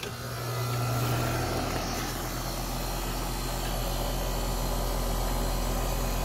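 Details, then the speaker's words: Newly installed A/C condenser on first start-up: low, steady compressor hum under a smooth fan whoosh, no rattles or knocks; not the quietest model but quieter than the old Goodman unit with a reciprocating Bristol compressor; normal running. "there we go let that run for a few minutes man it's already it's not the quietest model for these but it's definitely quieter than the good one that came out of here"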